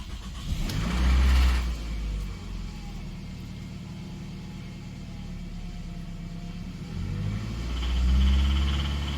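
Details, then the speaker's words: 2006 Toyota Camry 2.4 L four-cylinder VVTi petrol engine, 275,000 miles, revving: deep rapid knocking underneath; connecting rod bearing damaged after the oil level was let get too low, rod knock, engine at end of life. "That is the sound of the connecting rod bearing after you let your oil level get too low, you damage the bearing, it makes that noise."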